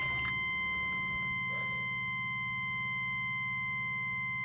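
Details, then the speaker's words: Truck with 6.5 diesel after fuel-system work that loses fuel pressure, dies when given fuel; fresh 5 gallons added, first start: steady cranking that won't catch, still hard starting, possibly air in the fuel lines, not confirmed. "it all right so it's having a hard time still that's not a good sign"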